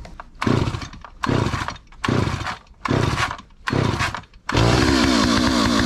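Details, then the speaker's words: 43-year-old Stihl 028 Wood Boss chainsaw after carburetor work, with the idle speed being turned up to keep it running. Revs surge in roughly one-second bursts and sag nearly to a stall before catching. Won't hold idle. "so I'm turning up the idle speed to try to keep it running"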